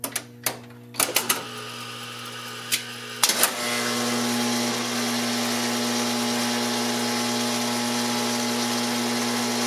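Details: 1970 Wurlitzer 3400-series jukebox, record T1 selected: sharp clicks and clunks, then steady even buzz as the carousel runs round to the record; mechanism cycling normally.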